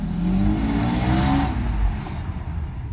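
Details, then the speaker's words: Mercedes 600SL V12 after repaired passenger-side throttle body and E-gas module, road test: quick smooth rev rising evenly then falling back, no hesitation or popping; pulls strongly; rear suspension creak known. "yeah we are he's gonna do a quick acceleration and that's about it"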